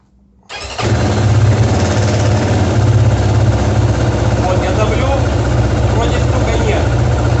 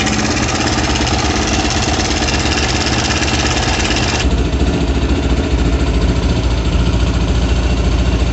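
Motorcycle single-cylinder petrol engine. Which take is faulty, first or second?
first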